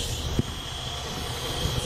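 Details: 2011 Jeep Liberty 3.7L with multiple EVAP leaks, testing purge valve with vacuum gauge while running; steady airy hiss with a thin high whistle over the engine; vacuum hiss, source unclear.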